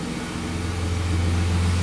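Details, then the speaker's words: BMW E30 after freeing a stuck-open injector and fitting new spark plugs: low, smooth, steady idle with even exhaust beat and no stumbling; engine whispers quietly, all cylinders pulling, normal idle. "Машина работает, машина шепчет."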